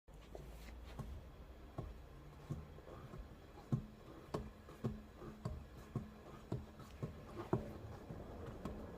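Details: Low rhythmic hum inside the car, pulsing about once a second and roaring around 50 km/h, disappearing when speed moves more than about 2 km/h either way; caused by an out-of-round tyre, not a bad bearing.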